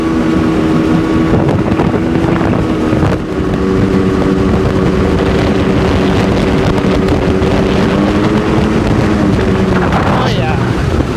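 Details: 2002 Sea-Doo RXDI two-stroke after rebuild (new top end, different crank and block), first water test on old gasoline, breaking in: steady even note under light wind, no knocks or misses; runs smoothly, no maintenance light.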